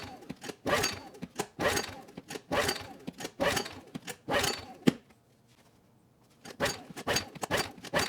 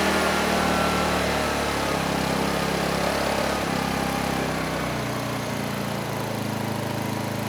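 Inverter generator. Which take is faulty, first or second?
first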